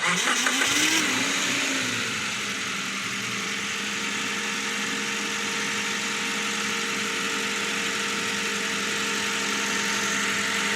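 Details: Toyota Hi-Ace with a hard-starting problem being repaired: brief crank, then the engine catches at once and settles into a smooth, even idle with no stumble. It starts and runs normally.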